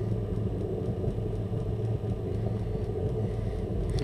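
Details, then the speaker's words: Burner startup after purge with oxygen sensor removed: steady low flame roar with constant fuel pump hum, no puffing or stutter; leftover fuel from earlier faulty starts burning away; normal burner running. "You can now hear the fuel pump. And you can hear the flame as well. Any fuel was left behind from previous faulty starts will burn away now."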